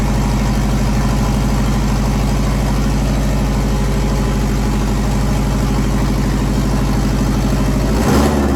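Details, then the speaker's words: JDM EJ20 turbo engine swapped into a WRX kit car, after fogging oil was sprayed in the bores; steady, even, smooth low-rumble idle with no knocks or misses. "let it come up to temperature since my third time starting it now and we're gonna one smooth everything's running pretty good engine seems to be running pretty good right now"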